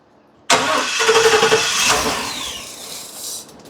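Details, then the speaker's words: 2017 Ford E450 6.2 gasoline with cylinder 3 misfire code: engine starts and a sharp airy hiss rides over the idle, an air intake leak; connection checked and appears secure, hose being checked. "cuidado aquí se oye como que hay una entrada de aire así rápido se oye una entrada de aire"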